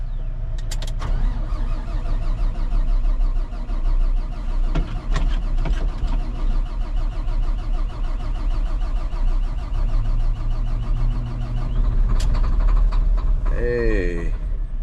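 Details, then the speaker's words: Volvo L180G wheel loader diesel, cold start after sitting without fuel, dash showing engine failure, fuel level sensor and ECU errors: slow, labouring cranking with uneven firing, fails on second try. "we got something. We'll try that again. It does still say engine failure, so that's probably not a good sign, but they can deal with that, right? All right, second try. Not quite."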